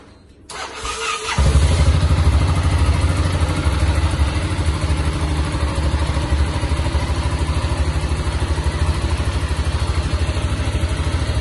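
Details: Yamaha XT 660 single-cylinder engine after a teardown repair of a strange pin-like knocking: fires up and settles into a steady, even thump with no knocking or rattle. Noise fixed.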